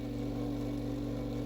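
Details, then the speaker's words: Lakewood HV-4 fan motor after repair of a rear bearing housing cracked in shipping: steady low hum with a rough, buzzy rattle at constant speed. After zip-tie repair it still sounds horrible but runs without locking up. "all right so after many zip ties and trial and error it still sounds horrible but it runs and it doesn't lock up and that's that's good enough"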